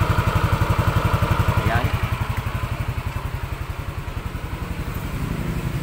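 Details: Yamaha NMAX 155, remapped ECU, after repair of noisy engine: even, steady idle with regular firing pulses, no ticking or clatter; quiet, healthy top end.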